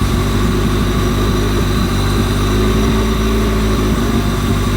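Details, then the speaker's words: 1998 Honda Civic EK with B20B4 B-swap from a CR-V and Integra LS transmission, just after fitting a new distributor to cure bouncing idle, not yet at temperature: steady even low idle, no misses or hunting; normal idle. "The idle is staying at a pretty good level right now, so I'm pretty happy right now."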